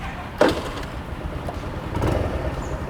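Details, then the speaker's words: 2022 TVS Dazz carburetor scooter, electric start: one sharp mechanical "ceklak" clack as the starter engages, then a short cranking churn. Old-style, early-2000s-type starter like the old carbureted Honda BeAT; loud but normal. "Kayak apa coba? Kayak Honda Beat Karbu ya, yang zaman dulu ya, yang suara starternya masih ya ceklak gitu."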